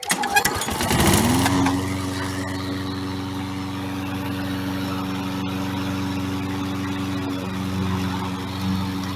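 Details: 1990s Toro lawn mower rescued from a scrapyard, after cleaning the carburetor bowl and main jets: catches after a few pulls, then runs steady and even with no misses or surging; normal running.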